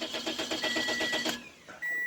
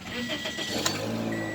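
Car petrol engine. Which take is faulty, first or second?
first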